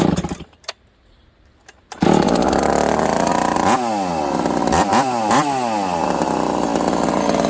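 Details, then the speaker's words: Husqvarna 372XP chainsaw (description says 362XP) running a newly made prototype exhaust pipe, cutting the next log, which has a bigger knot; it screams to a steady howl that sags and recovers in the cut and pulls hard; owner thinks the pipe may be slightly too open; normal cutting. "It pulls though, friends. It pulls hard. I noticed an increase in pull in that first cut."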